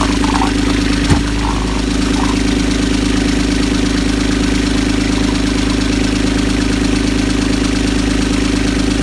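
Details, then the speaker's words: Universal 25XPB diesel in a Catalina 30 sailboat during winterizing, run at 1700 rpm and near its 140-degree warm temperature before antifreeze goes in: steady diesel clatter at constant speed, even pulses, no missing beats; normal running. "It's been running great. Everything looks good."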